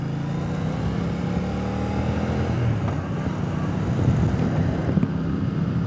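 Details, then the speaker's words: Speedmaster riding on replacement used pipes: a steady low drone swelling gently with throttle over light wind noise, much quieter than the old pipes, with no downshift backfiring; normal exhaust note. "All right, first ride since I put the new exhaust on. Boy, is it ever so much quieter. And no more backfiring on the downshift."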